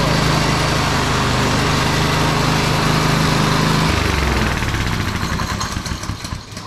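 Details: TrailMaster Mini XRX go kart after freeing and lubing sticky clutch and chains, started on a 2 amp charger with choke up: small single runs at an even buzzing pace about four seconds, then shut off and winds down; normal running.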